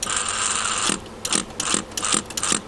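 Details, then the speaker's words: Fukner FU-400 antenna rotator after rebuild, microphone close to the off-axis motor: whirring run, then short bursts each ending in a click as the motor drops back onto its brake; normal operation. "actually hear the motor jumping up and down let's just dropping back onto the brake hear it going and then jump back onto the brake again that's how these op-axis motors work"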